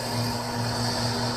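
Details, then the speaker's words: Acrylic centrifugal pump trainer driven by electric motor via magnetic coupling, suction valve being closed to about minus 18–20 inHg vacuum: steady hum with gritty crackle like rocks in the pipe, no debris, collapsing vapour bubbles, cavitation. "You start to hear that sound sounds almost like rocks going through the pipe. There's no debris, there's no solid material through here. That solid sounding sound is really the collapsing of the vapor bubbles as they go back into liquid form."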